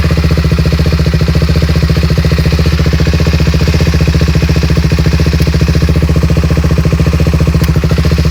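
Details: 2007 Suzuki LTR 450 quad with hard starting: single-cylinder thumping at a steady, slightly uneven idle, about 3.5 firings a second; engine bogs badly and stalls under throttle.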